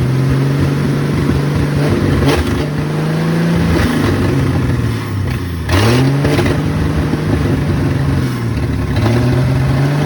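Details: 1972 Ford F100 Custom six, front exhaust pipe missing so exhausting from open manifold, rigged fuel supply: loud raw unmuffled revs rising and falling with throttle; runs strong.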